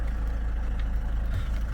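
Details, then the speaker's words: Land Rover Freelander 2, bought cheaply with almost full service history, earlier showing dash lights and limp mode: smooth, even low rumble at idle with no knocks, ticks or misses; normal healthy idle. "But it sounds, it's sweet. It really does. Fire it up for you."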